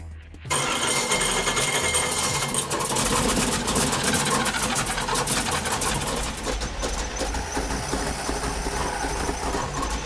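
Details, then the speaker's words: Bracket race V8 built from repurposed parts, under load with second carburetor: loud, rough, uneven roar with blubbery edge; carburetor dumping far too much fuel, blowing out the venturi, rich running, to be swapped for a new carb. "too much fuel damn this is number two that just blowing out the venturi so is john with time we could tune it but we'll swap it for a new one i think was dumping enough fuel to be a pro mod"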